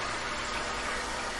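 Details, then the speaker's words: New radiant in-floor hydronic heating system filled with city water, zone pump running with thermostats set to 80: steady watery hiss and gurgle over a low pump hum; air still trapped in the loop, not yet purged. "So you can kind of hear these now, but once all the air gets out of here, you won't be able to hardly hear any of this."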